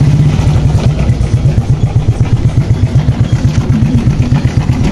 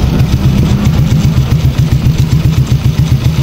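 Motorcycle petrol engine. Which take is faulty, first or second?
first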